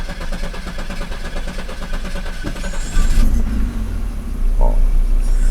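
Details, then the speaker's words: Pre-1990 Audi 90 after engine repair (broken fuel distributor, vacuum leaks fixed): short rhythmic crank, catches at about three seconds and settles to a smooth steady idle around 800 rpm with no stumble or hunting. "The engine starts without any issues now. The idle speed is normal too."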